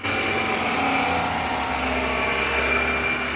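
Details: BMW X5 F15, heard via stethoscope underneath: steady buzzing whine over low drivetrain hum from the transfer case, audible only by stethoscope, an early sign of wear soon to worsen.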